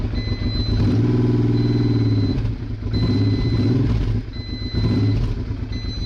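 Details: Honda Hawk GT/Bros 650 V-twin started after battery trouble and forgetting the fuel tap, first sounding like it runs on one cylinder: uneven loping beat that settles into a steady idle on both cylinders; runs fine now.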